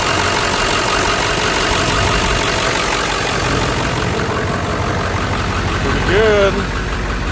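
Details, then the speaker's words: Ford F350 7.3 diesel after oil change: steady diesel clatter at idle, even rhythm, no misses or knocks, noticeably quieter than before with fresh oil; normal idle. "Now, you'll say I'm crazy, but definitely sounds a lot better. It's a lot quieter. These 73's are loud to begin with, but it is definitely much quieter with fresh high end oil in it."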